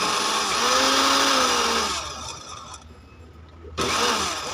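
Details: Dowell blender after repair, jar seated on its contact switch: high, even motor whir that drops away briefly and then picks back up cleanly. Motor running normally.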